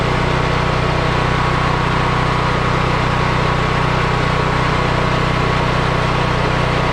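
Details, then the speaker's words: Yamaha EF4000DE generator: starts and holds a smooth, steady hum at constant speed with no surging; owner believes low oil had triggered the low-oil shutoff that kept it from running; normal running. "Wow. This is nice. This is really nice. The only thing really wrong with this is I do believe it was low on oil, and the low oil shutoff was keeping it from running."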